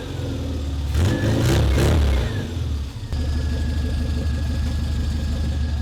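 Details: Restored classic Mini four-cylinder running after its first start in 2 years, following a fresh clutch and bodywork: it blips twice, then settles to an even, steady idle with no knocks, misses or rattles, sounding healthy.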